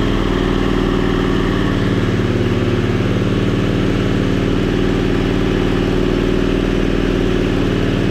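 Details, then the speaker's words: 670cc Predator V-twin in an E-Z-GO TXT golf cart, first fire-up, about two to three minutes into a 10-minute break-in warming to temperature: steady even mid-speed drone at held throttle, fairly quiet, no knocks or misses; runs normally. "sounds good though getting it up to Temp and breaking it in happy it runs everything runs good"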